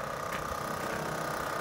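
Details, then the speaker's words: Generac generator (bought at Costco about 2 years ago) powering a NuCamp Tab 400 trailer's CoolCat AC set to 65°F through a 30 amp extension cord: steady, even drone with a faint constant whine, no surging or stumbling; runs normally under load. "They're kicked in. All right, so it does seem to be running."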